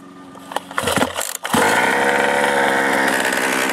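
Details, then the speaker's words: Losi 5ive-T two-stroke engine just rebuilt with new piston and ring, being run gently to seat in; after handling noises it catches and holds a steady buzzing run. Seems to be running pretty good. "But it seems to be running pretty good. Another successful engine rebuild, I guess."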